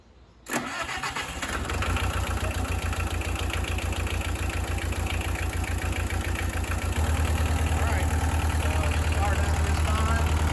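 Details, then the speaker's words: Bobcat 743 diesel just after oil, hydraulic, fuel and air service, with the fuel system primed by hand: short crank, fires right up into a steady, even idle with no knocks or misses; running healthy. "So anyway, with that said, I'm going to go ahead and fire this thing up, and once it's up and going, we'll let it run here for just a little bit, and then we'll check our oil levels, make sure everything is fine there."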